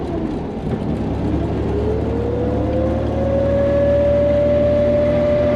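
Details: 1986 Nissan 300ZX with 35-year-old Garrett T3 turbo, on a drive: clear siren-like whine rising steadily over the engine with boost as it pulls, no lockup noted; failing turbo, replacement ordered.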